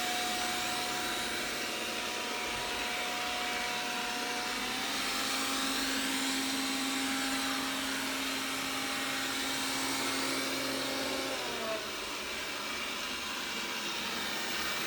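Steady motor drone with clear buzzing tones that hold, then shift pitch partway through; an abnormal buzz, cause not evident.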